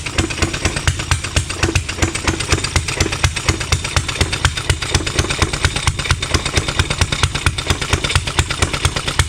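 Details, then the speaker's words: Rebuilt Stover Duro 1/2 HP upright air-cooled hit-and-miss engine, over 100 years old, first run in 50 years: regular sharp puffs about two a second, firing and coasting steadily; runs but needs dialing in, sprays oil. "that's his first run over the 50 years I've still gotta set it in it's still got a lot more a lot more work to do"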